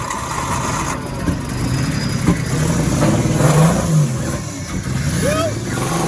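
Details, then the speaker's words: RB25-swapped Nissan Cefiro with new turbo, first fire-up: uneven, stumbling revs hunting up and down right after start; cylinder 6 flooded again after an earlier burnout blew a pipe off. "I flooded cylinder 6 again. yep. Yeah, because remember when I drove it last time when I blew the pipe off, I flooded cylinder 6 again."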